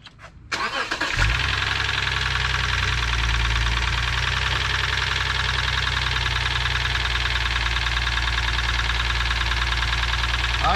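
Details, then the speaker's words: 2006 Lexus IS 250 that came in on a tow truck with check engine light on, after earlier ticking and possibly old oil: cranks, then fast, uneven knock over idle from the even-numbered cylinder bank, likely around cylinder 2. "so it knocks coming from this side so it goes one two three four five six even numbers here add numbers right here"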